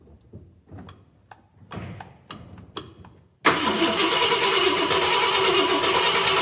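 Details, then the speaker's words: 1966 Ford Galaxie 500 XL, 390 FE V8, first fire after a 4-barrel carb and intake swap: slow, even cranking that never catches, then a loud steady rush; cranks without starting, fuel covering the intake. "All right, well, that was definitely a first attempt and fail. Covered the intake in gas."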